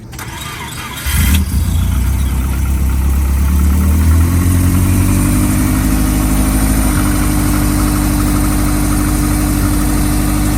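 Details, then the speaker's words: GC8 Subaru after exhaust pipe hole repair: engine starts and settles into a steady, even idle with no puffing or ticking; exhaust leak gone. "it sounds like the exhaust leak went away boys okay the hole in the pipe is no longer"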